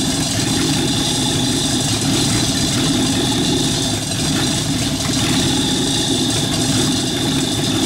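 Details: Rat rod truck engine idling, driving converted York AC compressor pumping air for airbag system, pressure switch set about 85-100 psi: steady even low-hum idle with compressor chugging smoothly underneath, no knocks or misses; normal idle.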